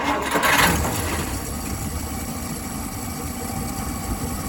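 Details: 1959 Dodge Coronet after freeing a sticking carburetor needle valve that blocked fuel (before, it started only when primed and wouldn't keep running): a brief crank catches quickly and settles into a steady, even idle; starts normally.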